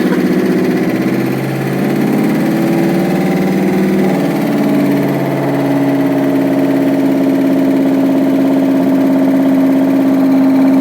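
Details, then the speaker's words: 1967 Ford F100 with a 5.7 Hemi fitted with Eagle heads and pistons, turbocharged, on a Holley ECU, running for the first time after new coil drivers: a steady idle with a busy, ticky valvetrain clatter. Owner suspects the pushrods may be too short. "it's definitely got a lot of valve train noise um I'll have to pull a valve cover off and make sure those push rods are the right lane they might be a little short"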